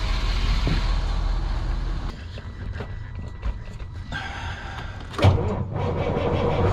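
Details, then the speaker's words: Cold start of a factory Detroit diesel (standard bearings, crank not cut, fairly new manifold) in a glider kit truck being inspected for purchase; low steady even idle amid door thumps, "60" noted while cold, looks healthy. "It's a 1 box right there. Looks healthy. What is it? 60 right now that it's cold, it's good."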